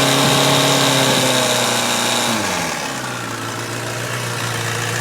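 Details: 2011 Kawasaki ZX10 inline-four, 4,000 km, rattling at idle and 4,000–4,500 rpm: fast metallic rattle after a blip to idle; cam chain tensioner fault, sound gone after tensioner replaced.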